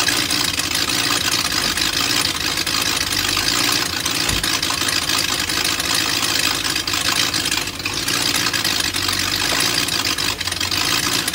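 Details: BMW M62TU V8 (E39 540i/E38 740i) right after chain guide replacement: started in time, then the timing chain jumped while running; loud, ragged, hissy idle with harsh exhaust chuff from missing SAI pipes.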